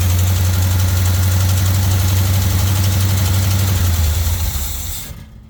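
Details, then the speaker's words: Carbureted Jeep engine being tuned after wiring work: deep lumpy idle wavering and sagging toward stalling when idle circuit is backed off; unstable idle, owner suspects vacuum leak not yet found. "When it comes down to that idle circuit, I back this off a little bit, it want to die, which usually means a vacuum leak, but I haven't been able to find where it is."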